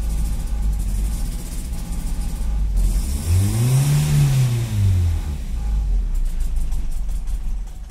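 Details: Nissan SR20 low-port after sitting over three days, IAC and ARV clean, plugs and wires nearly new: revs climb and fall unevenly, surging while held near full throttle until it stalls. Normalises after about 3–5 minutes. Unstable idle, cause unknown.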